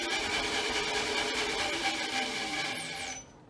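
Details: Milling machine spindle running in reverse, belts noted as a little noisy: steady high motor whine with light belt hum winding down to a stop; the spindle runs smoothly.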